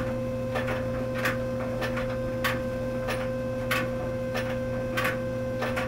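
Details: Clothes dryer running: sharp clack about once a second in time with the drum over a steady motor hum, caused by a coin caught in one of the plastic drum paddles.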